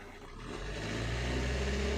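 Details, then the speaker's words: 2007 Suzuki Swift diesel with long cold starts, high idle rpm and misfire feel, revved from 850 rpm idle with 28,000 rail pressure: engine climbs smoothly without stumble or hesitation; normal acceleration, rail pressure tracking desired quickly. "और यहां पे देखो rail pressure एकदम perfectly correct कर रहा है। वह भी क्विकली।"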